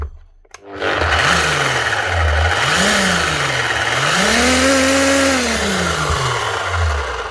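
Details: Bosch GBH 8-45 D rotary hammer: motor whine rises and falls with speed over a rough scraping rattle; failed needle bearing lets the rotor move so the fan rubs and damages the air deflector.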